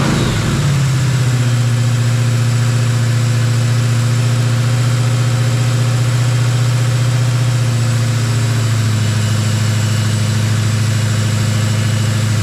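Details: Jeep XJ with swapped 350 V8, after valve adjustment fixed the dead cylinders: it fires within a second and settles into a deep, smooth, even idle with no misses or ticking. It runs clean on all cylinders.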